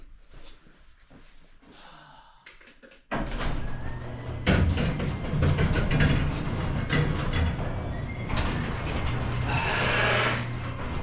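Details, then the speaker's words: Geo Tracker 8-valve, first start on jack stands after a stainless header replaced the leaking exhaust manifold gasket: a few knocks, then a deep, steady exhaust rumble with no ticking or puffing. No leaks heard or felt. "I don't hear any leaks. I don't feel any leaks. I think we're in good shape here."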